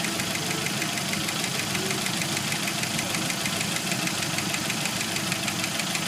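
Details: 1991 Jeep Wrangler YJ 2.5L at idle: crisp regular knock about 190 a minute that stops around 5 s in and gradually returns; owner suspects broken piston skirt and failed lifters on cylinders 2 and 4, not loose rocker.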